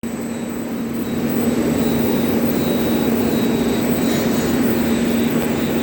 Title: Humming Noise in Mechanical face seal